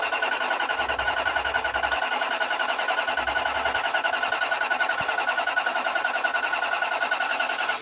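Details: 2000 Toyota Land Cruiser, non-running, bought 200 miles from home: steady crank at about three and a half beats a second that never catches; timing belt has jumped teeth.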